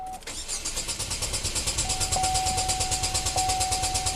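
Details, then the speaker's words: 2012 Chevy Equinox direct-injected engine with code P0615: strong, steady cranking at about three turns a second that never fires. Injector pulse width reads 0.00 ms, so the computer isn't firing the injectors. Failed engine control module. "It's not turning on the injectors. How strange."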